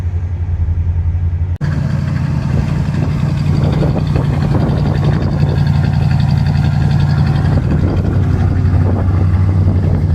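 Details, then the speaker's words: Car before teardown, not yet warmed up, idling: uneven stumbling beat, a miss present at idle with the choke on or off but unnoticeable under heavy throttle. "I don't know if you can hear that but one of the reasons I'll be doing a lot of work on this thing is the engine's got a miss odd because it's very present at idle even when the joke's on or off but under heavy throttle you don't even notice it"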